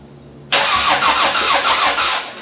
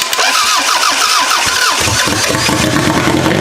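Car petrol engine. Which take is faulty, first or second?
second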